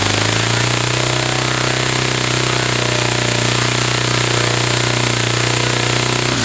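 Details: Saito FA-300T twin-cylinder glow engine on a customer test run, glow driver disconnected, high-speed needle set 2.5 turns out. A strong, steady buzzing drone holds one pitch without stumbles or dropouts. Both cylinders are firing evenly: normal running.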